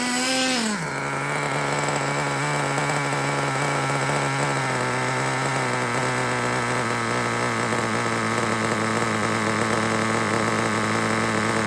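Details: Traxxas T-Maxx 3.3 pull-start nitro engine, cold start after replacing the front and rear engine bearings: fires up and settles into a steady, high buzzing idle. The earlier crunchy grinding noise from a bad rear bearing is gone. Normal idle.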